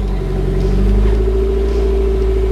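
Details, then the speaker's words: MR2 Turbo on first start after installing a Link G4X plug-and-play ECU: the engine catches and runs with a steady low rumble and firm hum, no misses. Normal start. "started pretty good let's go check the run time values"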